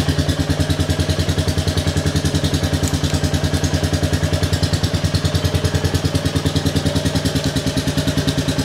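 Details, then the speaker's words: Rebuilt 2022 Royal Enfield Classic 350, first start indoors: crisp, even single-cylinder thump at a steady fast idle with a loud, blatty exhaust bark; engine smooth and running, and the owner is unsure about the silencer. "it's done I can't believe it it starts it runs"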